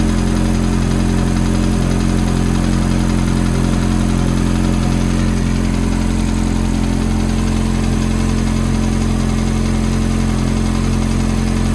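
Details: Ferrari F430 V8 cold idle: steady low drone with a light, even tick at about four per second over it; ticking at cold idle, source undetermined.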